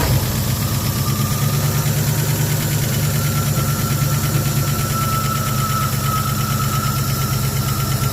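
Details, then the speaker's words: 1974 Ford F100 V8 parked 21 years, running with known vacuum leaks and noisy valvetrain: uneven, lumpy idle with an irregular stumble under a steady low drone, like a cylinder dropping out. Rough idle misfire; cause not confirmed. "oh yeah we got this part for a while running good on seven cylinders"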